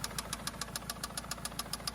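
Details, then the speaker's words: 2004 Toyota Camry after breaking down while driving, possibly having hit something under the car: sharp even knock about seven times a second over quiet idle; owner suspects a spun rod bearing or something loose, possibly top end, unconfirmed. "it's either a spun rod bearing or else getting loose here."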